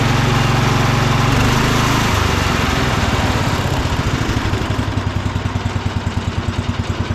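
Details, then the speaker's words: Cub Cadet International Harvester 1250 old single-cylinder engine after rebolting the shroud and top cover to cure vibration noise. Steady, even thump with no exhaust rattle. Some vibration remains, the engine burns no oil, and it idles healthy. "but overall this thing sounds great for being that old of an engine you know it doesn't really burn any oil uh everything runs great so we're real happy with it"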